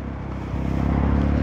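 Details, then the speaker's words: Honda Forza 300 scooter pulling away: low engine drone with a rapid, regular heavy knock from inside the engine; owner suspects piston slap, not confirmed. "มีเสียงเริ่มหนักๆแตกเซอร์ว่าลูกสืบลูกสูบเลยมึงจะเค้กแล้วนะครับ"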